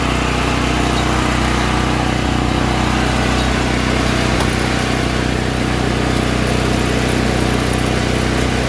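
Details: All Power APGG12000GL 12000 W dual-fuel generator after carburetor cleaning for stale gas jamming the carb solenoid: steady, even drone at constant speed, no knocks, surging or misses; running smoothly and healthy.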